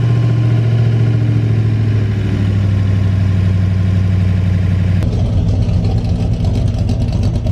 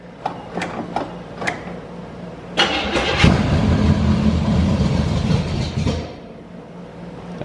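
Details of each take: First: 1982 Chevy G20 van V8 after upgrade with Extreme Energy 268 camshaft, new timing chain and gears, Flowtech 200cc heads, intake, carb and headers: deep steady rumble with healthy lope at idle after completed cam break-in, running normally. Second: 1982 Chevy G20 van, first start after heads, 268 cam, timing chain, intake, carb and headers: steady rhythmic cranking about four beats a second with no catch; not getting fuel, fuel leak found, timing suspected very late.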